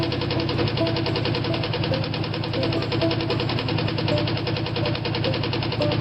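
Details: Ford V8 started after sitting all winter, apparently running on seven cylinders: rough, lumpy idle with a steady heavy knock every revolution under the exhaust beat; rod knock.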